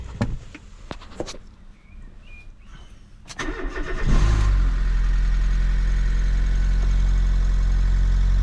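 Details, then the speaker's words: Fiat 500 after alternator and auxiliary belt replacement: a few clicks, short crank, then smooth steady idle with no belt squeal; belt stays in place. "Okay, it's start."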